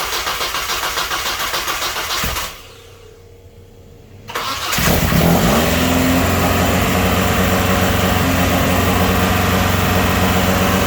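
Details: Saturn S-Series with rear-mount turbo, first start: cranks, fires, revs up, then holds a fast, steady idle that stays too high like a vacuum leak, with fuel smell from an untightened fuel line.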